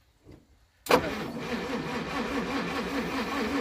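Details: 1937 Pontiac Silver Streak barn find, long sitting, after the points were cleaned and a wire was reseated in the cap, choke off: the starter churns in an even rhythmic pulse but the engine never catches. Weak spark from inconsistent points.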